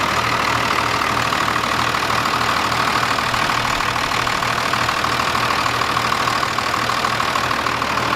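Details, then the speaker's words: First-gen 12-valve Cummins diesel truck idling after Pusher system install for more boost; steady even clatter around three beats a second with faint whistle above, smooth and healthy. "sounds good it definitely it just sounds good the truck always sounds good but it just it runs great"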